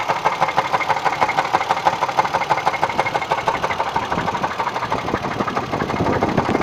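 Sharp, fairly even knocks at about three per second over an idling engine, source unclear; a knock worth tracing before it worsens.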